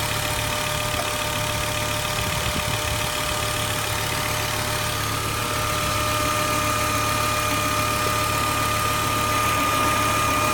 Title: Volvo 850R outo ääni moottorista / weird noise engine